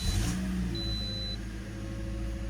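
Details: 2010 Toyota Corolla four-cylinder running after alternator replacement: smooth, steady, low even hum with no knocks or squeals; engine sounds healthy.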